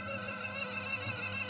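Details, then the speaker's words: Hatari stand fan before repair, running on speed 1: a thin, wavering squeal over slow rotation. Causes were a worn front bearing (replaced with a 6202) and a degraded capacitor (3.5µF measured 1.9µF, replaced with 4µF). "ขอหมุนช้ามีเสียงดังด้วยนะมีเสียงดังอี๊ดด้วยนะ"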